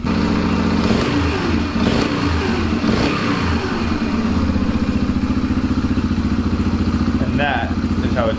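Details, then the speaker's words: Yamaha TTR125 single-cylinder dirt bike after carburetor cleaning and new O-ring, idle screw turned down with a long extension: steady, even putter with no hunting or surging; nice healthy idle, how a TTR should sound. "I had to use a long extension but managed to get in there and turn the idle down. And a nice, healthy idle."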